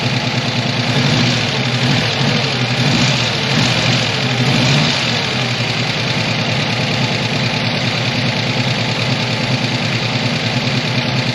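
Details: 1985 ASC McLaren coupe V8 with a newly built engine, first start after sitting since 2002: uneven idle with busy light clatter from the top end; owner unsure if lifters are rollers, cause not pinned down.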